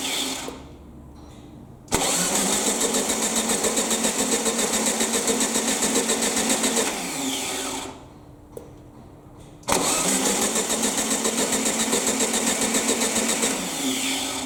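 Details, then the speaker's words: Baja Bug (air-cooled VW) parked for about 20 years, first start attempt with a new fuel hose to the pump: two bursts of steady cranking, engine spins freely but never fires; fuel present, no spark found, plugs to be replaced. "okay so there was no spark um i've had a look at the spark plugs i'm gonna change them all out"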